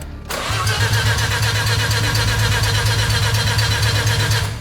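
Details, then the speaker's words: Mazda RX-7 engine cranking evenly for about four seconds without catching after install, air filter off; cranks but won't start, suspected flooded or fuel starved (fuel pump priming heard before, lots of gas found after). "if it's flooded it's not gonna start or if it's not getting fuel it's not going to start"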